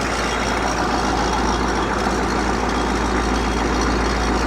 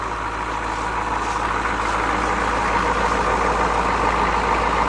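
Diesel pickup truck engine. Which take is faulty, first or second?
first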